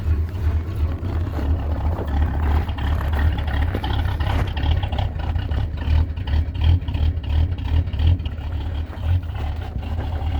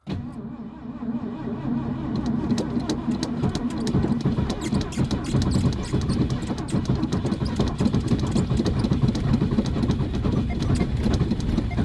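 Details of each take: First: Classic Ford at about -30 degrees, just restarted after stalling once on a cold start: deep, steady low rumble at fast cold idle, even pulse, no knocks or misses; healthy engine warming up. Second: Classic Ford cold start at -30 degrees, carbureted: long, slow, laboring crank with a few ragged firings that never catch; hard cold start, cranks but won't catch.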